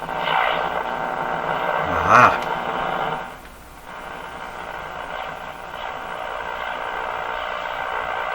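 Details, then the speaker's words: Mohawk Model 1240 five-tube radio run with its AVC capacitor removed: steady whistling howl over hum with a sharp squeal burst, no station received; set oscillates with AVC voltage undamped, before new capacitor is fitted. "but how come it's not picking anything up at all gonna start howling"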